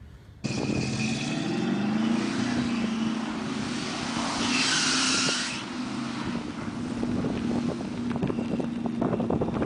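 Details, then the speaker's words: 1972 Ford Gran Torino Sport Q-code Cobrajet 351 Cleveland V8, 4-speed: hard-pulling climbing engine note with brief high shriek mid-pull; belt slippage at high revs. "and the car sounds like it's going through death throes because of belt slippage."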